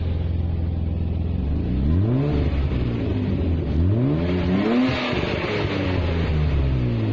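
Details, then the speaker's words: BMW E36 with a 2.5 six-cylinder and manual gearbox, rear muffler leaking: several sharp revs over a coarse, raspy, blatty exhaust note, louder than it should be. Exhaust muffler leak; the muffler is to be removed. "the muffler decided that it wanted to have a leak if you can hear me over the exhaust so instead of getting it replaced I'm just gonna get it removed"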